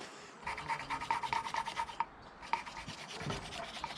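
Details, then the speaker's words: Ferguson TED cylinder head under repair after milky oil: rhythmic back-and-forth rasping strokes, pausing and resuming, the sound changing as the seat beds in, hand-lapping a valve into its seat with grinding paste. "here's my valve grinder kit which i'm going to now re-valve the grind these bows into there so we go see how we get on"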